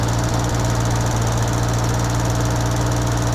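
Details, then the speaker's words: Bedford Rascal (Suzuki Carry 1.0 type pump) after fitting a new aftermarket electric fuel pump, engine idling after previously cutting out: fast sharp ticking about three taps a second over steady low idle; owner unsure if the pump should be this loud. "if anybody can let me know in the comments if the fuel pump's actually meant to be that loud so you can hear it tapping really loud i don't know if it is supposed to be"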